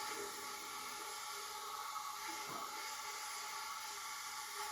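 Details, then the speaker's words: Leak-down test on an old front-engine dragster motor that sat about 30 years, engine not running: thin steady hiss, not from intake or exhaust but felt at the bottom of the cylinder, air leaking past the rings around the oil rings. "I can feel it down right at the bottom of the cylinder yeah right on the Rings coming in around the oil rings"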